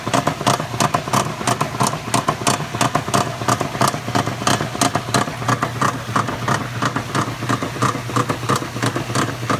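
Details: Maytag Centennial washer while agitating: heavy steady clatter about one and a half knocks a second, keeping time with each agitator stroke, far louder than normal; owner suspects a bearing, cause not confirmed.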